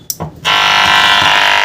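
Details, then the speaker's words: Benzer DPA-570 amplifier after no-sound repair, tested with small speaker and microphone while powered from an inverter: steady even buzz with fine ripple from switch-on; supply noise from the inverter, sound now restored. "तो guys यहां पर जो यह सटा वाली आवाज आ रही है यह गाइस इसलिए आ रही है क्योंकि मैंने इसको इनवर्टर से चेक कर रहा हूं इसलिए गा ऐसे आवाज आ रही है"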